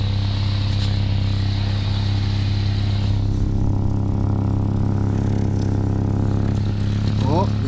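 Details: Petrol engine idling in neutral with tailpipe covered to locate leaks; steady idle with rapid puffing chuff as exhaust escapes through a leak upstream of the tailpipe, later fixed and straight-piped.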